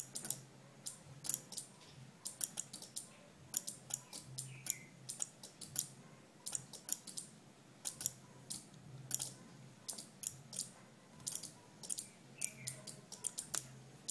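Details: Two relays in a capacitor-driven flip-flop on perf board alternating green and red LEDs as capacitors charge and discharge: small dry ticks in quick uneven bursts over a quiet room; normal relay oscillation.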